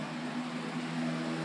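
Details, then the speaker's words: Homestyles fan motor running: a steady whir and low hum with a rough, gritty rush on top, clearly a lot of bearing noise from worn motor bearings. "wow that thing is making a lot of bearing noise not sure if you can hear it with this"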